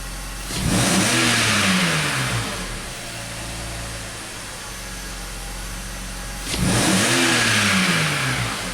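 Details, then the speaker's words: BMW X5 being chased for a persistent misfire, ignition probes on the coils. Two clean wide-open-throttle revs climb smoothly and fall back with no stumble or popping. Running perfectly at this point. "that's interesting the car is running perfectly okay let's take this out - wide open throttle"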